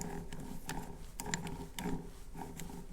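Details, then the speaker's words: 2012 Subaru 5-speed manual transmission, shaft hand-spun in the housing: rough, uneven ratcheting rumble with scraping surges each turn; gear bearing noise traced to one gear with excessive lateral play, not the originally suspected shaft bearing. "And this time when I spun it, you could hear noise, and I believe it's coming from this gear here."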